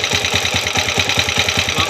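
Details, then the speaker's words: TMX155 motorcycle engine, noisy despite tune-up: sharp ticking rattle on every firing stroke, about five a second at idle; spark plug loose and wobbling in stripped thread; timing gear also noisy, to be replaced with full overhaul. "Tapos yung spark plug, kumakalog-kalog. Ayun o."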